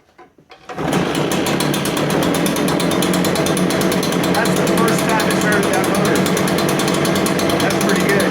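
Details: New Echo PB-580T two-stroke leaf blower, first start, choke then set to run: starts and settles into a loud, steady, even drone with no misses while warming up. Runs healthy.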